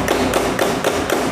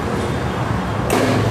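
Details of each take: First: Honda Beat carburettor scooter that won't start on the electric starter: rapid, regular clicks about four a second with no cranking; starter clicking, no crank. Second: Honda Beat carburetted scooter after repair of an electric starter that only went tek-tek: the starter catches on the first press and the engine fires into a steady, even idle; normal electric start.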